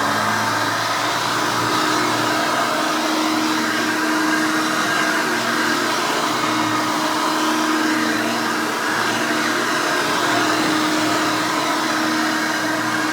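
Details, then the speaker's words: 1989 Hoover Elite 600 U4473 upright vacuum, 120 V 60 Hz 6 amp motor: loud, steady high-pitched motor scream with even airflow rush and no surging or rubbing; runs normally. "let's go ahead and turn this vacuum on and you can hear this thing and all of its screaming overly loud Weaver glory"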